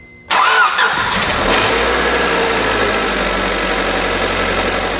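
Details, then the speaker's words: 1999 Honda Civic remanufactured engine after valve adjustment, new water pump and leak fixes: catches quickly and settles into an even, steady idle with no ticking or knocking; sounds healthy. "that's more like it"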